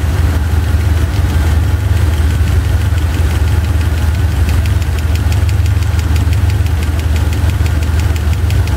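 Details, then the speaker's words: Chevy 350 V8 idling with driver-side valve cover off during running valve lash adjustment: sharp fast clacks hammering over a lumpy idle as a rocker is backed off, then tightened a quarter to half turn until clacking stops. "oh that was hammering okay again here we go quarter half stop clacking there it is hammering away"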